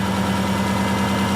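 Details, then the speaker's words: Subaru engine after the fix: a smooth, even idle with a steady low hum and no knocks or ticks, and the earlier noise is gone. Normal idle. "that's what it's supposed to sound that is the noise is gone yeah"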